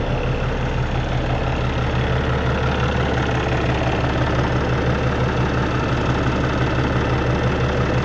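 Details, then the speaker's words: Peterbilt with ISX Cummins CM2250 showing 829,000, after front structure reseal and common rail pump update: deep, steady diesel idle with even low rumble, no knocks or misses; normal idle. "we'll idle it back down see what it sounds like check for leaks make sure we did everything right"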